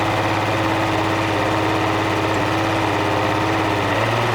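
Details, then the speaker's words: Mercury 200 hp outboard after sitting since fall, new plugs, idling: uneven lumpy miss that goes away above about 1500 rpm; killing spark to #1 cylinder smooths it, pinning the miss there, #1 injector suspected gummy. "This is a motor that came in. As you notice, it's got a pretty substantial miss. And we're going to knock out the number one cylinder."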